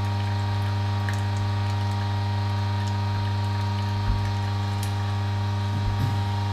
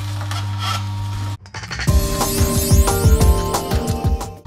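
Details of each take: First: Juice extractor (masticating juicer) pressing pineapple pieces: steady low motor hum with faint ticks and squishes of produce; the drone holds even as the motor labours, with no clear sign yet of the clogging. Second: Juicer (cold-press juice extractor) pressing hard produce such as beetroot, alternated with soft produce; steady motor hum with uneven creaks and squeaks about three a second, normal for this extractor.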